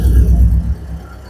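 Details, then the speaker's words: Volkswagen Fox after cylinder head rebuild: lumpy, uneven low thumping under a second; misfire on cylinder 2 where the ECU cut the injector, no resistance due to a faulty injector connector. "às vezes acontece que a central por não encontrar explosão no cilindro galera não localizar aí que tá funcionando o cilindro a central por estratégia desliga o bico"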